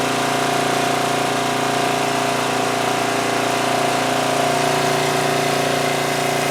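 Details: 2002 Coleman Powermate 5500 generator after carburetor cleaning and motor mount repair, engine speed backed off because output was 135 V, now about 120–121 V: steady drone with constant pitch and no surging. Normal running after speed adjustment.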